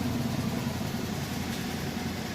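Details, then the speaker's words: Maytag top-load washer, start of final spin with a heavy load of mostly jeans, after a new clutch assembly and motor coupler: smooth, steady low hum with even pitch, no thumping, grinding or squeal; normal fast spin. "this machine here now has a brand new clutch assembly, a brand new motor coupler. So it's going to spin really fast, just like a brand new machine."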